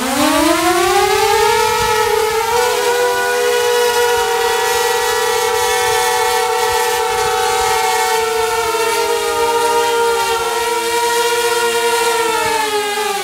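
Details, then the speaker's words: DJI Mavic Air with Master Airscrew propellers, hand-held while commanded to take off at full thrust: loud steady high whine, slightly lower pitch than stock but still loud, wavering with load; healthy. "okay a lower wine I think I think it has a little lower pitch of wine it's still loud it's it's loud it's very windy but it's loud"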